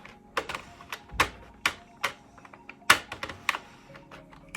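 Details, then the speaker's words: Sentro 48-needle knitting machine, hand-cranked while casting on a scarf: uneven sharp clicks every second or two because the machine isn't suctioned to the floor; clicking from unsecured machine. "It's a bit clicky because I'm not suctioned to the floor."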